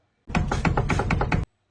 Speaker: If you hear that sound, it could be a loose suspension part. You need to get that checked right away because that can cause tire wear or safety.